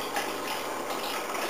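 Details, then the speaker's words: Toyota Yaris OEM fuel pump on a bench at 13.5 V, pressure gauge disconnected, earlier holding 45 psi within the 40–50 psi spec: even high-pitched whirr with fuel splashing, no grinding or surging; normal, modest flow, enough for the stock injectors. "the flow rate of it. And uh it's not a very high flow rate uh that you know as to what we might expect to see"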